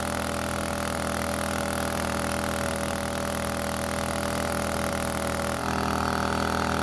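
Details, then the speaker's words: Shindaiwa backpack leaf blower two-stroke, after repair of a no-start condition: loud, even howl with strong steady airflow rush and no stumbling; runs clean and healthy. "so it turns out this blower is an absolute monster when it comes to blowing leaves"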